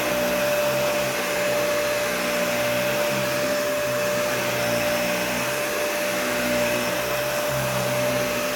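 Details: Nearly new Dyson vacuum, essentially an Animal 1, with a clean filter: a loud steady roar with a thin high whine on top. The owner says the motor sounds really bad, cause unknown.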